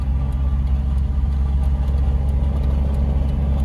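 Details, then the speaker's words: BMW E30 Touring with M57 diesel swap, big FMIC intercooler and map, on the lift with exhaust detached; deep, loud, raw unmuffled low rumble, running with exhaust off. "Palikām bez izpūtēja uz tilta."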